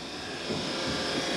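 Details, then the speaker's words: Diamondback airboat with ignition on after metal work was done: only the steady water pump hum is heard, and the usual buzz of the electric fuel pump (between gas tank and batteries) is missing. The cause is unknown: loose ground, no power or a switch suspected. "and that humming noise is the water pump running but we have no fuel pump you normally hear that thing buzzing"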